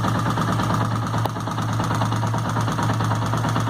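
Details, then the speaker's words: Suzuki motorcycle with noise at the top of the engine, idling, listened to via screwdriver; quick even ticking over the engine beat, probably a valve or camshaft at the top end, unconfirmed. "provavelmente esteja uma válvula um comando daqui de cima tá fazendo esse barulho"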